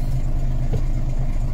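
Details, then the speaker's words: Volvo B10M diesel idling about five minutes, throttle not blipped, after rebuilding the Bendix AD-2 air dryer; steady low idle with even beat and no air hiss, air building well without leaks. "So the battery has been on for 6 minutes, so it's been idling for probably about five. I've not blipped the throttle."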